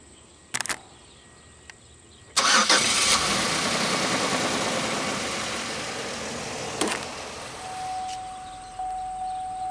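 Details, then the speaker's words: 2001 Pontiac Aztek GT with a closed oil pressure switch code, started after an oil change following a Seafoam flush: it catches right away, flares briefly, then settles into a smooth, steady idle with no knocks or ticks, sounding healthy. "sounds good here take a quick gander under here that's fine but it sounds good sounds okay"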